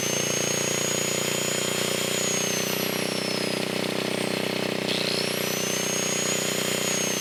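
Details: 1980 Montgomery Wards 2200 W generator, Briggs & Stratton 5HP, after NOS block swap and carb rebuild, no smoke; loud steady buzzing with even hum, no hunting or knocking, governor holding speed: running healthy.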